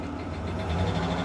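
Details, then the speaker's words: Vehicle at a Copart auction walk-around: a low steady idle rumble with a light, fast metallic tapping on top. Engine ticking at idle, source not identified. "Boy, that engine tapping. What a shame."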